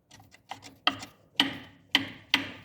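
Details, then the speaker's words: Fiat Palio rolling over a speed bump: sharp clicking knocks about twice a second as the hard cap atop the strut boot hits its cup; padded with rubber insole pads glued in place. "Essa coifa aqui, ela tem uma tampa aqui em cima, dura, e quando bate naquele copinho faz barulho. Ó. Passa na lombada faz esse barulho."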